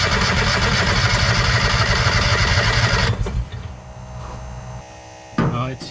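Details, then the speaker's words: Non-running auction Kawasaki Mule 2510 with the choke stuck: about three seconds of fast, even cranking, roughly four beats a second, without catching. Gas is flooding out of the airbox, and the carburetor is suspected; not confirmed. "Yeah, it's flooding over now. I can see it."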